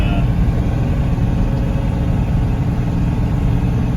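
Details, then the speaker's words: 1996 Chevrolet Suburban with swapped Cummins diesel towing a 7,000 lb trailer uphill in third, out of overdrive, about 35 mph, EGT about 600: deep steady rumble with no knocks or misses; healthy under load. "the trailer is pulling no problem. You're going about 35 miles an hour up the hill. If we shifted into fourth, it'd be too much."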